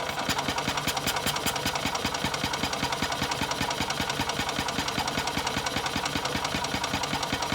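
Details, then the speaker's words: Old Yamaha golf cart, sat for years, cranking to test fuel pump output into a bottle: steady fast cranking about 2.5 turns a second, never catches; pump not pulling fuel, suspected hardened diaphragm, pump later replaced. "No, I don't think it's pulling. I really think it's just probably a hardened up diaphragm or something in the pump that's not capable of moving easily enough to pulse fuel."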